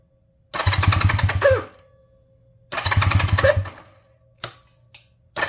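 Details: 1978 Honda Twinstar CM185T revival after cleaning the ignition points for weak spark and priming, choke on; two one-second bursts of cranking that never catch, only weak spits, apparently not getting fuel; cranks but won't start.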